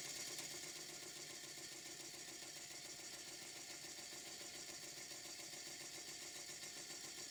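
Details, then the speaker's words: Restored vintage Bassett-Lowke model steam engine running on compressed air, with recording volume greatly boosted since it is very quiet. Faint, even chuffing over hiss at about three to four beats a second; it runs smoothly. "It's running on compressed air. And some viewers say, can you turn up the sound of your engines running? Well, they don't make much noise. The sound on this clip is really turned up."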